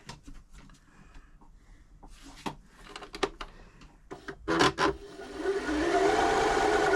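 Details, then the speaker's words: Janome Jem Platinum 720 sewing machine, in for a service, given a first test run: after a few handling clicks it runs up to a smooth, even whir with a steady stitching rhythm, doing everything it should. "It's running. Sounds like it's doing everything it should be doing."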